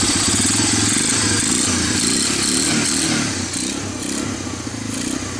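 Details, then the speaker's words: Barn-find Honda TRX250 ATV bought as a parts donor and left sitting, started on starting fluid: quick, steady single-cylinder thump at an even, slightly raised fast idle, no knocks or misses, nothing in the oil; sounds healthy, exhaust gets hot. "bad sounds nothing in the oil week I got the idol turns up"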